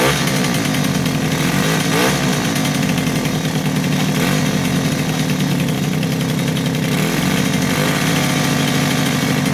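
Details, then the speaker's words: 2005 Suzuki LT-A50 two-stroke ATV under restoration, with a new kill switch, air filter mount and tuned carb, running in the shop. It buzzes at a steady, even speed, crisp with no misses, knocks or rattles; it runs healthy. "but this little thing runs like a champion now man I'm telling you I haven't even ridden it yet but um have you know run it a few times here in the shop and it is doing good"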